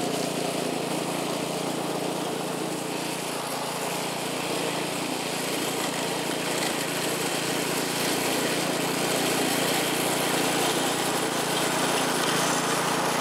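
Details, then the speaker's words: California Trimmer reel mower small engine after carburetor fine-tuned an eighth to quarter turn to stop surging; steady even drone holding pitch while mowing dead grass, no hunting. Running smoothly under load. "But it's running really good now. Here's a little bit of mowing with it, even though the grass is all dead."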